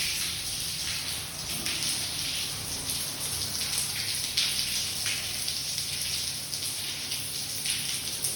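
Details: Water pouring from the floor above at 5:07 am: steady hiss of water streaming and splashing without a break; leak suspected from a neighbouring flat's burst pipe, not confirmed.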